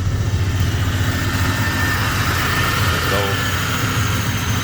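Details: Short-bed Chevy truck's newly installed replacement engine idling just after start following the swap: steady, even low idle with a smooth rhythm, no knocks or misses. Engine sounds healthy.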